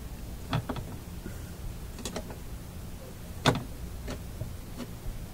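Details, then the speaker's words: Fleetwood 660 record player changer mechanism turned by hand while still not working right; irregular sharp clicks about every two seconds that feel and sound like a skipping gear, cause unclear, old plastic possibly brittle. "that's not good that feels and sounds like a skipping gear"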